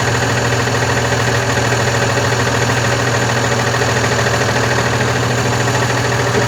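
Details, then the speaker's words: Volkswagen Constellation 19320 truck diesel after cylinder and piston work: steady idle with a heavy knock repeating a bit over twice a second; the brake air compressor is broken and knocking. "Solta aí ó você viu que o seu compressor quebrou"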